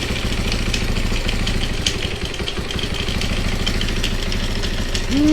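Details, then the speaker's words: Honda XR200R basket-case project, first run: steady idle with a fast, loose metallic rattle on every beat; cam chain or clutch suspected, unconfirmed. "sounds like it's got a timing chain rattling something's rattling almost sounds like from right here"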